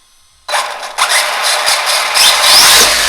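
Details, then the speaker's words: Arrma Big Rock RC truck after a 4S-stripped spur gear was replaced with an HD steel 57T spur, tested on 3S LiPo; high motor whine rising and falling in throttle bursts, no clicking or grinding, mesh and slipper fine. "But as you can see, guys, she's back in action again. Sounds pretty good. Mesh sounds pretty good. I think the slipper sounds like it's doing its job."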